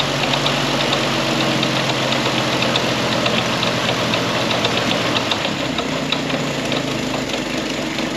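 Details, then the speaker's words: Historic Ford Willys Jeep Go Devil four-cylinder, long-sitting, fan belt just tightened: even settled idle with a light steady patter, no knocks or rattles; engine sounds healthy. "And it's idling. Little go devil."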